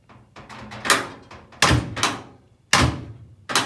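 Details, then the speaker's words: Door worked with the button held: irregular thunks and clacks with a hitch where the latch catches before releasing. Latches are sticky, though this side is less bad than the other; new latches are being considered. "You can hear it where it catches with the button held. But it's nowhere near as bad as the other one. But it still catches."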